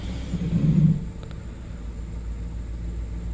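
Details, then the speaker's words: 2009–2012 Ford F-150, after fixing broken wire for primary coil D misfire (P0354); in gear, even low rumble with no skip or stumble, misfire gone. Normal running after repair. "i can tell since i put it in gear oh yes it's gone i took care of it yes yes"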